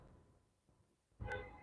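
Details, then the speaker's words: 250k-mile Subaru put in PDI test mode: a couple of sharp clicks half a second apart as the AC clutch engages and relays click; normal cycling. "look right here see the AC clutch is engaging going take the mic off you should be able to hear it all right we got relays clipping over here"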